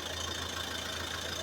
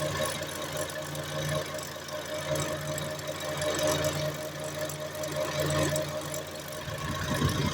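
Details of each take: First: Front left driven wheel spinning alone after a new tie rod and end were fitted: a steady low hum with a faint high whistle, no grinding or rumble. The front wheel bearing sounds healthy and quiet. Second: Front left wheel locked at the differential, drive switched to the raised front right wheel: steady droning howl with fixed tones over the engine, certainly a worn front right wheel bearing.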